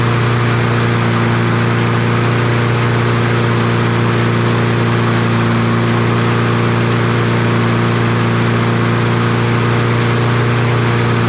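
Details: Troy-Bilt TB200 push mower with Briggs & Stratton 550e 140cc engine, brought in running rough, before service: steady fast drone with no dips, pitch held well above normal mower speed; engine over-revving, running too high.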